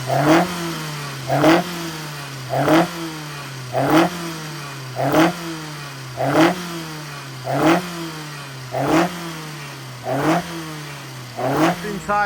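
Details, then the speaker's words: Customer's engine fired up to check it sounds right and holds the same pressures as before: even repeating rev bursts about every 1.25 seconds, no knocks, rattles or misses; healthy. "What we'll do is we'll just fire it up now, make sure it all sounds and looks does all the same pressures as it did before, and then I can ring the customer and tell them we've actually done something this month."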